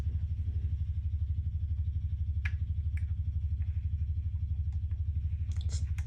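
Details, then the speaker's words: 1967 Fender Showman tube amp with all controls at zero. A low, regular put-put motorboating pulse about 2.5 times a second is a massive oscillation. It sounds almost like a broken ground; cause unconfirmed. "We have a massive oscillation. That sounds like a broken ground almost."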